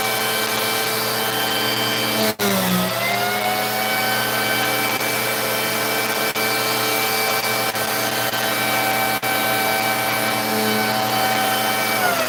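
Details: Vacuum with power head tested for no-power complaint: steady motor hum and whir drops out sharply for an instant every few seconds, then recovers; power head cutting out intermittently, cause suspected, not confirmed.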